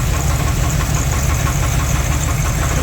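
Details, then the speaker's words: 1984 Dodge Ramcharger 360 cid LA V8, water pump belt off, good oil pressure: loud low idle with dull knock about three times a second persisting when revved; knock later traced to incorrect front counterbalance plus counterweighted torque converter. "It sure is there. Got good oil pressure just like the rest of it. It's a heck of a candidate. the radiator, MSD ignition, and the trooper. She's a knocking for certain."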